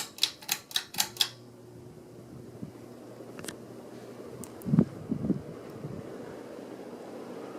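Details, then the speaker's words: 52-inch Hampton Bay Cameron II Plus flush-mount ceiling fan with glass fitted, switched to high: a few switch clicks, then a soft, steady rush of air with lots of wind noise but no ticking or wobble knock; runs smoothly. "A lot of wind noise is coming off this thing. Definitely performing a lot better than I thought it would."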